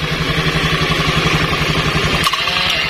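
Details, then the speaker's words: Honda Scoopy carburetor scooter with starter circuit wired directly bypassing the CDI, starter pressed with brake lever while engine already running: steady idle, then sudden harsh metallic clash as pinion strikes the spinning roller-housing fan gear. "Tuh, oke, kita bisa dengar di sini ada suara suara benturan antara gigi pinion sama kipas rumah roller yang lagi berputar."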